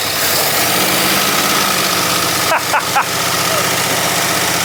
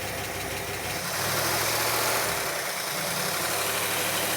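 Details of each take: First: Barn-find 1960s Bristol 408 with carbureted Chrysler 5.2 V8, first start on a squirt of fuel: rough, loping, stumbling idle with hesitations, said to be running on maybe six or seven cylinders; a misfire. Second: Barn-find 1960s Bristol 408 with Chrysler 5.2 V8, revived after storage: a quiet, even V8 idle with a smooth, steady burble and no knocks, misses or hunting; normal idle.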